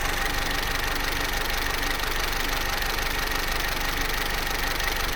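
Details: Vauxhall Corsa C Z14XEP with 86,000 miles at hot idle: fast, even metallic rattle about three per second from a worn timing chain, quiet when cold and after about 6 minutes idle, pronounced only at full operating temperature.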